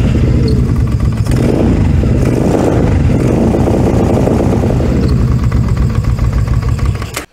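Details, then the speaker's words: Cheap four-wheeler ATV after a choke repair: a loud, even exhaust drone from its noisy exhaust holds steady for several seconds, then the engine shuts off cleanly. It starts and runs fine; its separate fault is the clutches. "It starts and runs pretty good. As you can probably hear from the microphone, it's got a bit of an exhaust on it, which, okay, I guess."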